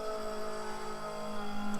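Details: Newly fitted Aeroflow electric fuel pump on the rally car, after ditching Sniper EFI for a carburetor, first powered by hooking up the positive: steady high buzzing hum until power is cut. Pump running normally.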